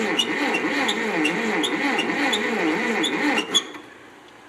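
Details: 1957 Ferguson TO35 tractor, non-running, reportedly last ran 10 years ago, oil put in cylinders, carb cleaner sprayed into carburetor: steady starter cranking about three compressions a second, never catching or sputtering; cranks but won't start.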